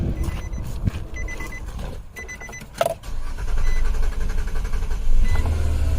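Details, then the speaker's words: 2008 Nissan Quest 3.5L with a crank-no-start that had run out of gas, after refuelling: chime beeps and a short crank, then it settles into a steady low rumble; normal engine start. "there we go look at that starts"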